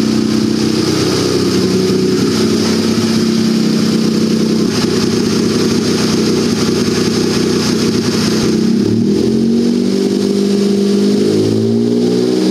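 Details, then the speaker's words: Turbocharged buggy, ice-cold start after setting the fuel level sensor lag factor to maximum smoothing (15): fires right up, holds a steady, even idle, then rises and falls cleanly with no stumble; idles better than ever before. "it's very successful you can see it fires right up it idles better than it ever has before"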